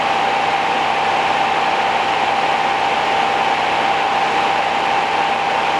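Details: 1969 Rover P6 Series 1 3500 V8 automatic, just started after 16 years in a garage: smooth, steady idle behind a constant hiss, no ticking tappets or cam rattle, quiet and tight. Owner suspects the fuel pump or line, as no petrol came out.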